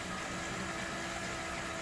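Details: Headhunter X-caliber 12/24 V DC variable-speed boat water pump, repaired with donor-pump parts, bench test in the shop with fittings hand tight: steady even electric hum with a faint whine, no rattle or surging; running quiet and pumping.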